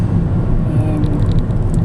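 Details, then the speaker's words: Ford Fusion 1.6 Zetec automatic converted to LPG, driving after a 150-mile motorway and town trip at around 55-60 mph: a low, steady engine and road hum, even, with no clonks from gearbox or engine; only a loose floor-mat clip rattles; normal smooth drive. "smooth, and it's very nice and easy to drive being an automatic."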